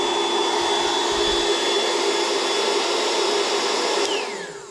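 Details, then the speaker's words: EGO 150W inverter tripped on over-current with the air-mattress pump; on the Ryobi 150W inverter the pump runs with a steady, even motor whine of constant pitch that winds down smoothly when switched off; normal running. "so let's try the iob one is that going to work i hope so wow it's working perfectly"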